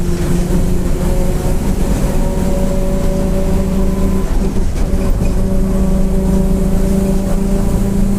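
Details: Grande Londrina 1110 Torino 2007 Mercedes-Benz OF-1722M bus, line 505 Expresso Vivi Xavier, Feb 2023, under way: heavy diesel drone with steady tones rising and falling with road speed, rear differential roaring loudly (differential whine).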